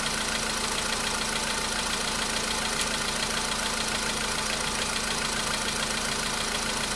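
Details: VW Polo Sedan cold start idle, a day after oil change and flush with flushing oil: faint regular light ticking about three per second over engine note; knock was absent the day before, now back but quieter, cause unclear.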